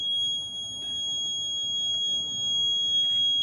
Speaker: Udah dicabut kuncinya dulu baru di reset. Udah dicabut Mas Bob. Kuncinya Hah? belum. Oh, belum. Ketahuan kalau belum. Iya. Makanya kalau di reset bunyi lagi Pak kayak gitu.